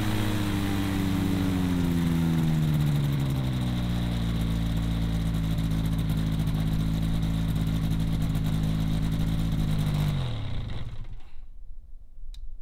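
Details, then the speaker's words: Newly built gyrocopter with Duke Flash 2 three-blade prop, first running test: steady engine and prop drone easing slightly lower in pitch, then shutting down after ten seconds; runs smoothly and evenly. "all right guys so as you just saw we have the first running tests of the gyro it feels so good to actually hear the motor start on this thing after so long of working on it putting it together"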